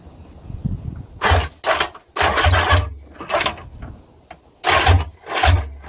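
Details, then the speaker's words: Old two-stroke jet ski that sat for years, cranking with spark plugs reinstalled; compression sounded good. Short laboured bursts under a second, barely turning over; slow cranking, battery suspected. "that may just be the battery but um it's kind of struggling there to turn over with the oh with these spark plugs in it"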